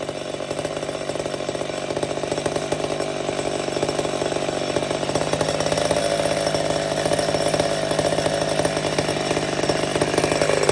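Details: Old McCulloch Super Pro 70 chainsaw cutting wood: strong steady buzz holds pitch under load, no surging. Normal cutting, running right.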